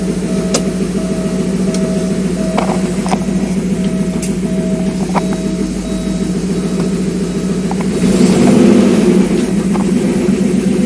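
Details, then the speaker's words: Porsche 928 after input shaft bearing replacement and limited-slip differential install, alternator belt off, engine running with clutch in and out: light ticking only, no whine or growl where it was noisy before; transaxle healthy. "no horrible noises from the different so clutches out this is where it was making noise before clutch in watch out clutch in clutch out effectively no noise so I think we're good"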